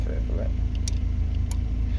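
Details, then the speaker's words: MG ZS Mk2, engine idling, testing the fog light button: sharp clicks about every half second from the rear fog light relay switching on and off. Rear fog lights and relay working normally. "So the rear fog lights work still. So that's all working. You can hear the relay coming on and off down there."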